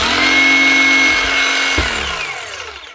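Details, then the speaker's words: New Hikoki DH40MEY2 brushless rotary hammer being tested: smooth, even, high-pitched motor hum, then a clean spin-down. The brushless motor runs with less heat and less noise, and it sounds healthy. "Not that anybody cares on a building site about that there, but it does produce a lot less heat and a lot less noise. So, function wise, it does sound good."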